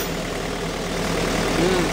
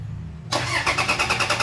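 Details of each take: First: 2012 Toyota Fortuner diesel that had died on the road and would crank but not start, after fault codes were cleared: steady, even idle with a low settled rumble, no stumbling or hunting; running normally. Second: 2012 Toyota Fortuner that suddenly died on the road: starter cranks with even compression pulses about eight a second but never fires; crank no start, immobilizer fault, key and ECM losing communication, possibly from tapped accessory wiring.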